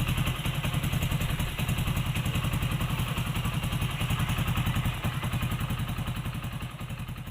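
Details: Hero HF Deluxe bike that kept stalling from lost compression, after compression was restored. A steady, even thump of about three and a half firings a second at idle with no misses. Now idling normally.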